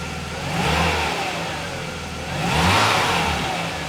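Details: Mercedes 300E W124, cold, just after replacing crank position sensor, plugs, leads and distributor cap to cure stalling when warm; engine idles evenly and takes two throttle blips cleanly, revs rising and settling smoothly with no stumble or cough; running normally.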